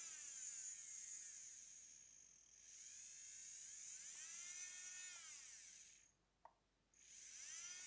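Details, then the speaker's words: JSDA JD8500B micromotor drill on a test hookup to a power station: high, smooth whine wavers, dies out, a single relay click as direction is changed, then it spins back up evenly in reverse; the motor runs normally in both directions. "can can I change direction it stopped it clicked and it"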